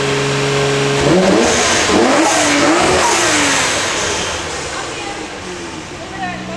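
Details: R32 Nissan Skyline with twin-turbo 1JZ swap, first start, drive-by-wire throttle on default mode after calibration: revs climb slowly and lazily on each blip then sag back; sluggish drive-by-wire throttle response.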